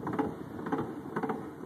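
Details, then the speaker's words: 1984 Volkswagen Scirocco driver-side front wheel bearing spun by hand: quiet gritty ticking about twice a second, rough bearing matching the noise heard while driving. "sounds like there may be a slight issue with it yeah that sounds exactly like the noise I was having"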